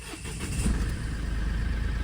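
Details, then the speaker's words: Mahindra Bolero Neo 2025 diesel, about 23,000 km, cold start: catches into a fast, rough idle with hard khat-khat clatter that clears after a few seconds; owner suspects oil reaching engine parts late, present since new, absent when warm. "ये खटखट खटखट कर रही है ना? अब देखो सही हो गई। तो पहला प्रॉब्लम तो यह है कि यह ऐसे ही स्टार्ट होती है गाड़ी। कुछ भी कर लो आप। लेकिन यह प्रॉब्लम बस तब होती है जब गाड़ी कोल्ड स्टार्ट होती है।"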